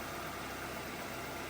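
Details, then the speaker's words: 90s Ford Escort, 117,500 miles, idling after the seized AC compressor was gutted into an idler pulley with a new bearing and the correct belt fitted: smooth, steady idle, no knocks, squeals or belt chirp; no warning lights, healthy. "Sounds good. I don't have any warning lights."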